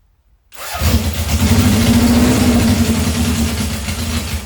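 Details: 1978 Honda CB750 K8 first start during a rebuild, with carburetor installed, exhaust refitted, booster on the battery and temporary fuel supply: it catches and settles into a steady, even four-cylinder idle with no misses. Normal start.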